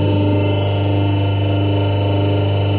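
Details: Hydraulic test bench power unit driving a double-acting cylinder through a manual directional valve, cylinder extending and retracting: steady, even pump whine with a constant low hum, no knocks or surges; gear pump sounds healthy under load.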